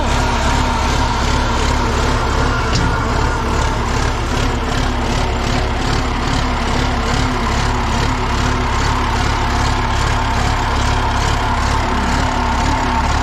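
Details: John Deere 890 excavator diesel, finally started after a no-start traced to a suspected bad key switch: steady, even idle with a regular low beat and no knocks or misses, running good and strong.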